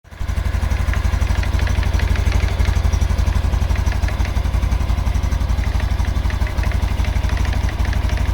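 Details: 2022 Super Cub at idle: a sharp, regular knock about four per second, seeming to come from the clutch plate area; it goes away when revved and returns as rpm settles, hot or cold. Source unconfirmed.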